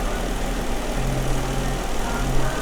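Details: Jeep Wrangler idling with a slightly uneven, stumbling beat from a cylinder 4 misfire (P0304); coils and injector already swapped but fault stays on cylinder 4; dealer blamed engine computer, while oscilloscope tests show coil and injector pulses working.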